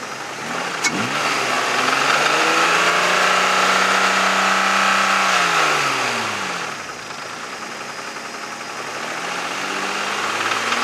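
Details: 1996 Mazda MX-6 revving and settling, runs and drives fine, service engine soon light on: steady regular knock rising with engine speed; owner suspects a bad valve or failing rod bearing, unconfirmed.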